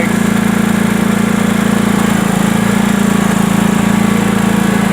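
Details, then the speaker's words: Sears Craftsman Honda 42-inch riding mower, started on choke after its backfiring problem was fixed with a home-made gasket. It now runs at a steady, even beat with no popping or misfire, normal running. "Now with the Honda, you always have to choke it. Choke's down here. You can hear it's running nice."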